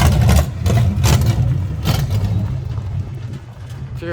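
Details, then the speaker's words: 1970 Chevy C10 V8 driven for the first time in years: low idle lopes and stumbles unevenly; owner suspects timing is off and the carburetor needs adjustment, possibly bad gas. "oh it runs terrible it's not timed the carburetor is always crap"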